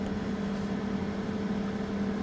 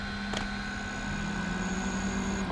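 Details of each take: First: Generator powering a heater load of about 1100–1200 W as the output drops: its cooling fan kicks on with a steady low hum, a constant tone and no rattle or surge. Normal fan operation under load. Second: Inverter pushed toward 1500 W: a steady electrical buzz with thin high whines, then it shuts off. Overload noise just before tripping out.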